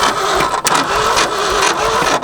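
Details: Late-60s Ford F-250, abandoned 26 years, about 71 thousand miles: starter turns the engine in quick even beats but it never catches; no spark through the distributor.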